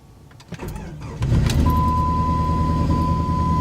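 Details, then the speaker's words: 1999 Jeep Grand Cherokee 4.7 V8, 146,000 miles, first start: brief crank, fires, then uneven shaky idle with whole Jeep shaking under a chime; misfire suspected. "that is not good the whole Jeep is shaking yeah I've got a pretty bad shape to it here i'll give you guys listen either it's got a huge cam in it or its misfiring"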